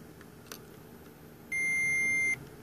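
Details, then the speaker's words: Meter testing the input capacitor of a vintage Sherwood S-7200 receiver: single clean high beep under a second in a quiet room; capacitor tests okay, while the other channel's input buffer capacitor later tests poorly. "tests okay let's do the one on the other channel not as good okay"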